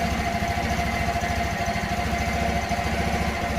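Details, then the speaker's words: 1984 Honda Elite 125 scooter just after iridium spark plug upgrade (old plug had 1,000 miles): even steady single-cylinder putter at idle, regular pulses, no knocks or misses; idles fine, sounds as before. "seems to be idling just fine"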